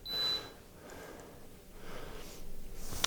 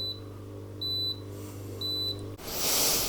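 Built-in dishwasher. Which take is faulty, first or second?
second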